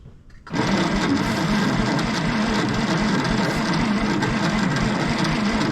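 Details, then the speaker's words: 1960s Galion road grader, slow-cranking starter, ether tried without success: steady even starter whir with no firing or catch; cranks but no start, spark issue suspected, not confirmed. "well the ether didn't do it so i'm going to say that we have a spark issue"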